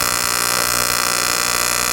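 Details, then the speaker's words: Arccaptain 200A AC/DC TIG welder, AC TIG on aluminum with 4943 filler, out of the box; harsh steady low coarse buzz, AC frequency sounding around 60 Hz rather than usual 120–240 Hz; puddles without problem. "If you can, the frequency's a little lower. You can hear it there. It sounds like it's about 60 hertz, but I usually run a 120 to 240 with a Miller, but we'll see what happens here."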